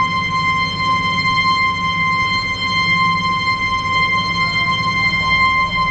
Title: Abnormal Sound of Ball Float Valve-20101022